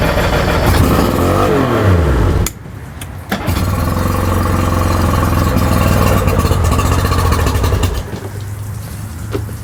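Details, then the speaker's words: Tohatsu 4-stroke outboard on a water hose, carbs and fuel pump already rebuilt, started on choke: fires, runs rough and uneven, drops out briefly, then picks up lumpy again. Misfiring, not running on all cylinders. "so I'm choking it right now because they won't run well I kind of run on its own but it's not running on all the cylinders right"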